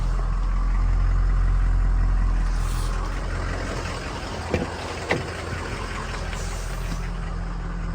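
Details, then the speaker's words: 2003 Ford Excursion Eddie Bauer, 6.0 turbo diesel, 153,901 miles, after cold start. Steady, even low diesel rumble with a consistent beat and only a couple of stray clicks; healthy, smooth idle. "Engine sounds healthy, and the truck drives great."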